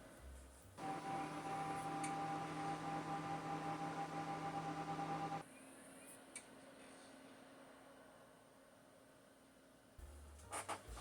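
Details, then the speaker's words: Cooler Master Wave Master retro PC (Socket 462 build) after fan upgrade: soft steady whoosh with faint constant whine, mostly power supply heard; much quieter than before, fans healthy. "all right noise test number one well it's much quieter"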